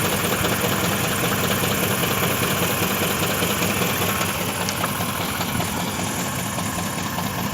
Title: Стук в двигателе бмв